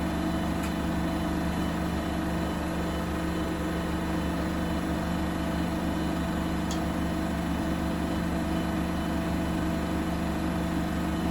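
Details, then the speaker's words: Bosch WFP3300 washer after new bearings, door seal, RFI suppressors and house RCD replacement, citric acid test wash with rags: apparently the 1600 rpm spin, steady even hum and whir, no thumping or grinding; slight panel rattle suspected; normal spin. "This must be the 1600 spin because it's not going to do much more. Unless it goes up a tiny bit more for the last minute."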